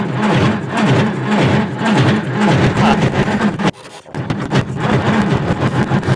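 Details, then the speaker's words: 1950s Caterpillar Traxcavator track loader diesel, long unrun, cranking on 12 volts with ether: starter drags slowly in uneven bursts and never catches; slow cranking, no start, owner wishes to check injector fuel. "thinking we're going to have to try a little bit harder than that nothing I really wish I could pull these injectors and check fuel but man what a hassle that's going to be"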